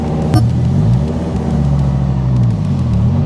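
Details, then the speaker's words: Dodge Viper with new GCC triple-plate clutch, pulling away in first gear: deep, even engine rumble with no chatter or shudder, only a faint fresh flywheel and friction-surface sound like new brake pads; clean, normal clutch engagement. "You can kind of hear the, no real noise or chatter or anything. I can actually hear the fresh flywheel and friction surfaces. And it has that fresh brake pad kind of a sound to it."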